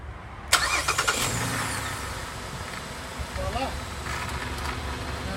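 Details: 2009 Pontiac Torrent 3.6, earlier no-crank no-start from a missing ECM case ground, run with a temporary ground wire from battery to ECM body: sharp click, quick cranking, then fires and idles evenly; starts properly now.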